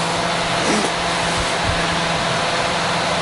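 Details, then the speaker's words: Terry Surma vacuum former after the vacuum pump shuts off: a constant airy whoosh with a steady low hum and no rattle as the fan cools the molded part before the die drops. The cooling fan is running normally. "I think you can hear the fan running."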